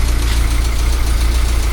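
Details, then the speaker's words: 1978 Austin Allegro idling on full choke after carburettor rebuild and refit: quiet, even idle with a soft steady low beat, no knocks or misses, much quieter than it used to be; normal idle. "Oh, that's sweet! It's very quiet compared to what it used to be."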